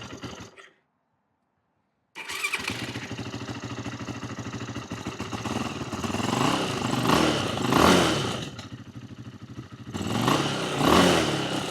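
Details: 2008 Yamaha YFZ450, a pieced-together ATV with the idle turned up: it fires after a pause, then surges and sags without holding idle while the carburetor leaks badly.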